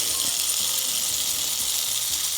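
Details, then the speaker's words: Marx tinplate toy train locomotive with gravity-dependent reversing (E-) unit, held upright: steady high motor buzz with light regular clicking; E-unit cycling normally. "does the eunit work um y believe it does oh there it goes yep and that's yep that's what they do"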